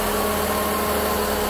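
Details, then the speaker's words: Mitsubishi 2.4 four-cylinder just after a timing belt, water pump and valve cover gasket replacement, run briefly with no accessory belts or coolant: smooth, even idle, timing belt quiet with no singing; normal. "sounds nice the time belt is nice and quiet if you had the timing belt too tight it would actually start singing make some noise"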